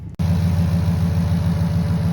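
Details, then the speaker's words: 2022 Jeep Grand Wagoneer with 5.0 V8, low miles, no warning lights: smooth, even V8 burble at idle with a steady low pulse and no ticks or knocks; normal healthy idle. "Man, that sounds good. All right, it's got the 5.0 V8 in it."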